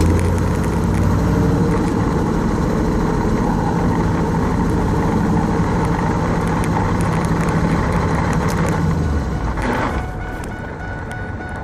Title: Ls1 t56 grinding noise